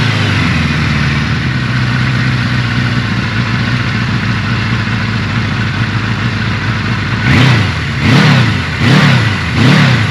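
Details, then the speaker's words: 1983 Suzuki GS1100E on its first start during restoration, with carbs refitted, new battery, fresh fluids and a cleaned tank: steady idle with four clean throttle blips, revs rising and falling quickly with no knocks or rattles; slight smoke is residual oil burning off. "I don't have any bad noises everything sounds really tight but when I get on it a little bit picks up Reds almo"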